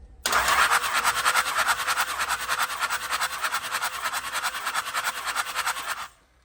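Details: Cummins diesel truck, compression test with the injectors out, cranked by powering the ignition solenoid wire. Steady cranking at about three even pulses a second with no drop-outs; compression is not too bad.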